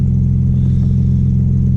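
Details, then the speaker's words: Audi B5 S4 warming up after new 3 bar MAP sensor and tune flash, fuel trims good, known bad exhaust leak underneath. Steady, even low rumbling idle with no misses or knocks; normal idle. "Trim's looking pretty good already. I don't really have to adjust much."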